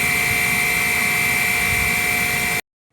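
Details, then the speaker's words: Trane gas rooftop unit 2 combustion blower: loud steady roar with a piercing high whine and a lower hum that cuts off abruptly. The blower is worn and replacement is recommended. "Alright, as you can hear, Unit 2, that combustion blower's not sounding too hot, so I'm going to recommend replacing that."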